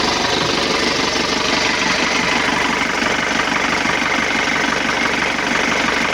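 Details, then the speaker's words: 2011 Isuzu Panther LS diesel, first start after engine teardown for an oil leak and rough engine noise that revealed scored pistons: even, steady idle clatter with a regular beat and no knocks; sounds smooth, unlike before the repair. "alhamdulillah suaranya adem nih, Guys. Beda dengan kemarin ya."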